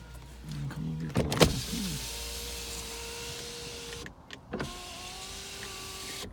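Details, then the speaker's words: 2008 BMW 328i, rear-wheel drive, 3.0 L automatic, 154,521 miles, brought in with undercarriage and engine damage, no start: window runs down and up with two smooth, even motor hums ending in a soft thunk; normal power window operation. "so we'll go ahead we'll put the window down come on up you get I'm just gonna leave this thing down very comfortable"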